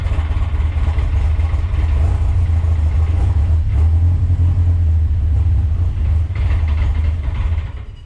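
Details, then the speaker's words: Deep, low drone swelling and sagging irregularly at cold idle, never settling; cold idle target raised to about 1,300–1,400 rpm after it previously chugged at 1,000 rpm running very rich and stalled; hunting idle. "Doesn't really know what it wants to idle at."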